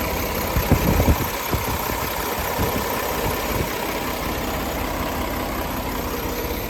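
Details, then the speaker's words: 2018 Peterbilt 389, Paccar 510hp diesel, 18-speed, 716,000 miles, unserviced; listening under the hood with oil filler cap off: a few early clatters, then steady smooth idle, even low rumble, no misses or knocks, no blow-by; normal idle. "I'll let you listen to it running. I won't do a lot of talking because it's hard to hear with the engine running."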